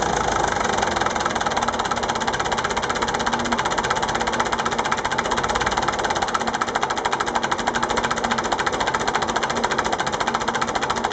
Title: MF-825, bruit moteur